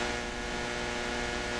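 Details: Hammarlund SP-600 communications receiver, now on full 115 V mains with ground terminal grounded instead of 90 V: more volume but a steady, loud buzzing hum with no rhythm or change; weird sound, cause not yet traced.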